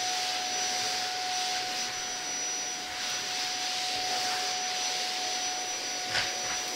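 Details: Zanussi Compact Power cylinder vacuum cleaner in a review, picking up old Weetabix from a hard floor: a steady airy rush with a constant mid-pitched motor tone, no surging or rattles. Normal running.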